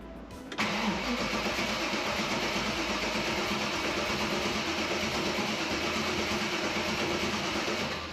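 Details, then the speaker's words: V8-swapped Mazda MX-5 (Bullet Roadster), first start in over a year: starter spins the V8 steadily for about eight seconds but it never catches; fuel pump never heard priming, a fuel connection likely left off; crank no start. "I've never disconnected the fuel pump before, but at the same time, I never hear it actually prime. I must have not got something connected with the fuel."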